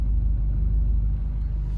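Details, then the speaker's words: Junk engine from a part-out Acura Integra, warm at operating temperature, idling smoothly: steady, even low rumble with no knocks, misses or ticks. It had knocked earlier and sounded very bad at first start; normal idle. "So we got it running. It's running smooth now. Let me just triple check. It's at operating temp."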